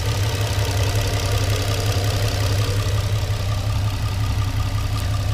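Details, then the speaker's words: Infiniti G35 after new Kinetix Velocity intake plenum installed to address idle and O2 sensor issues, fuel damper and O2 sensor not yet installed: steady low even idle, no knocks, ticks or misses; running well, no codes. "so far so good she's running amazing no codes"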